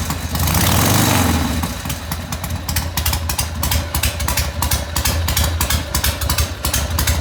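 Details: 1980 Harley Ironhead Sportster after restoration work, first run heard since redo: fires with a loud blip of revs, then uneven potato-potato idle, clean exhaust bark, no mechanical knocking; sounds healthy.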